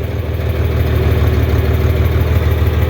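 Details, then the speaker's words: LP-fuelled tractor, slightly flooded on startup, now idling on propane vapor through the converter: steady, even low rumble with no misses or knocks, fine for light work. "you're running on vapor for most light tasks that's just fine you can run on vapor all day long"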